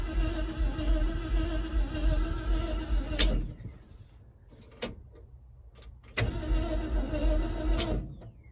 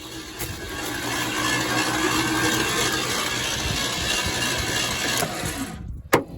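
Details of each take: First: 1976 Ford F-150 that sat in a swamp since 2000, starter wired to a manual switch and coil wired separately: two bursts of steady cranking, no firing at all; owner suspects no spark and plans to check ignition and clean the contact points. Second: 1976 Ford F-150, believed 360 engine, about 97,000 miles, sat untouched since 2000, cranked with spark plugs removed and fuel line disconnected: starter spins it quickly and evenly with a steady whirr, no compression pulses; engine turns freely, not seized.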